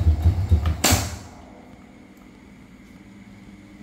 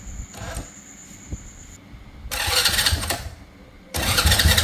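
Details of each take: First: Honda Dream motorbike: each press of the starter gives a quick burst of dry rattling, about four clacks a second, as the starter spins without catching the engine; starter clutch slipping. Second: Honda Dream motorcycle whose starter clattered and would not engage, after repairing the starter: several short starter bursts each catching cleanly into a brief run, no slipping or clacking; electric start now engages properly.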